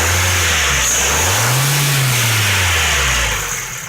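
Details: 2008 Ford Focus 1.6 automatic, 110,000 km: light metallic tapping rides on the rev up and back down; most likely piston pin knock, needing an engine overhaul (pistons and pins, possibly boring).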